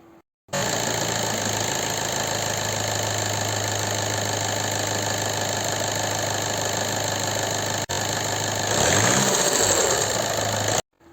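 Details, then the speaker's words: 2014 Seat Leon 2.0 TDI diesel at idle: a light metallic tapping rides on the clatter, steady with engine speed. Noise persisted after the top-end check; the oil filter was full of metal, showing internal wear, so the engine must come out and be opened. "ما تشوف ينين مادام مادام الفيلتر فيه الحديد هذا كين تاكل داخل في المحرك"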